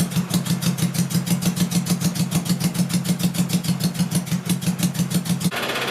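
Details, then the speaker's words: 1980 Honda CB750C four-cylinder in a kart, first start after swapping to two Mikuni 34mm carbs, each feeding two cylinders: lumpy, uneven idle thumping about three beats a second with a loping rhythm; not all cylinders firing. "it did sound like I'm struggling a little bit and I went and felt under the headers and air was coming out but some of them felt like it was actually firing in the combustion chamber"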